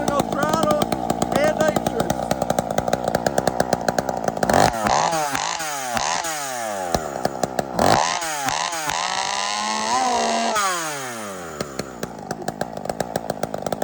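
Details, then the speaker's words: Big bore Husqvarna chainsaw with nitrous added to intake, a little cold: screams with sharp rev spikes and drops, normally about 16,000–19,000 rpm, sounded over 22,000 rpm; over-revving on nitrous. "all right so the issue is you heard it was revving right over so this thing already revs that like I think it's like 16 000 19 000 and regular one is like twelve thousand so like it's already runs high that sounded like it was like over 22s RPMs"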